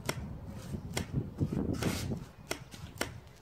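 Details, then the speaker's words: Beta 50 RR 2017 with 70cc kit and 21mm Dell'Orto PHBG carburettor, after throttle cable replacement and free-play adjustment: throttle snapped shut, sharp separate clacks every half to one second as the slide seats freely in the carburettor bottom. "on peut voir que ça accélère on peut même distinguer le bruit du boisseau qui claquent dans le bas du carburateur"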